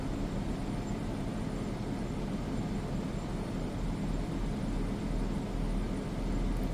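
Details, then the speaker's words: Two Furrion Chill Cube 18k heat-pump roof ACs on a Thor Outlaw, front and rear both on turbo at 67 for max cooling, duct closed, about 60–61 dB: a steady roar of fans and compressors over a low hum, with no rattles. Normal running. "with the duct closed. And this is max cooling, both front and rear AC at the same time. Looking at about 60 to 61 decibels."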